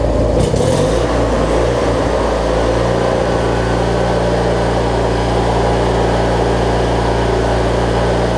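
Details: Briggs & Stratton opposed twin engine on a Craftsman rider, after replacing the 3-screw fuel pump and adding a missing fuel filter; it had been hard to start and not always getting gas to the carb. It now restarts promptly and settles into a smooth, even idle with no misses or surging.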